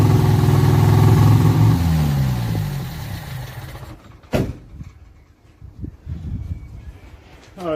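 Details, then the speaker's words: 1986 Toyota Corolla KE70 four-cylinder, abandoned for years, first start; it catches and runs briefly with a lumpy, uneven beat, then sags and dies, and it got hot fast. Running poorly; owner suspects a head gasket blowing between two cylinders. "yeah it sounds like it's running really poorly i wonder how's it blowing through the head gasket into two cylinders which happens on these as well especially if they've had a spurious head gasket in the past"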